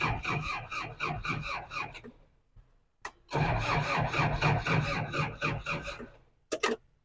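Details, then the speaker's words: 2003 Daihatsu Rocky manual 4WD: uneven starter cranking about four beats a second, stopping and retrying, never catching; hard to start, owner guesses it needs slight throttle while cranking, and the battery seems weak. "Agak susah nyalainnya guys ya. Agak susah, ngeri juga nyalainnya nih. Karena ya si Daihatsu Rocky itu memang mungkin ya karena karburator jadi kayaknya harus sambil digas dikit gitu kan."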